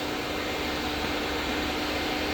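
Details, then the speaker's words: Backdraft Cobra 427 after key off: steady whooshing airflow and low hum with no engine, cooling fans running on after shutdown; they later shut off, apparently thermostat-switch controlled on battery power, not Holley-controlled; normal. "I don't know why the fans are still on. Key is off. Maybe that's the way these work. They're not on the Holly."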